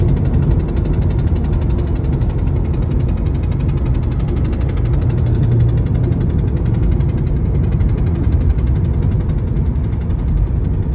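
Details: 2012 Volkswagen Passat, loud tapping from behind the dash at about 75 mph, with or without AC, over heavy tyre and road rumble; once stopped after engaging cruise control, returned after a fuel filter replacement; cause unknown.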